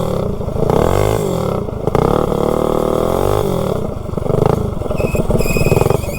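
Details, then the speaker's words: Predator 224-powered GTS minibike with a generic 16-tooth centrifugal clutch, road test uphill: revs climb and hang high while the pull stays weak, with sparks from the clutch. The centrifugal clutch is slipping badly. "slip when you get on it you can see it throwing Sparks out of the clutch I don't know if you can see it on camera but so now I'll head back down the hill hopefully I can make it home yeah now it's slipping really bad"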